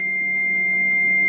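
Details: Fluke 88V multimeter checking a Delta Shopmaster GR450 8-inch variable grinder that won't spin, from the motor through a wire nut to a plug blade: one steady high beep for about 1.5 s confirms continuity.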